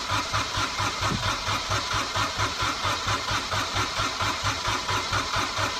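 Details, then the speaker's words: Small Kubota diesel, cold (about 1°), newly fitted starter with 8-tooth pinion, heat position on and fuel pump running; strong even cranking about 1.5 compression pulses a second but never catches; owner suspects glow plugs not working. "that's a shame cuz these little Kotter engines they usually start pretty well I don't think the heat of plugs are working now but it cranks over"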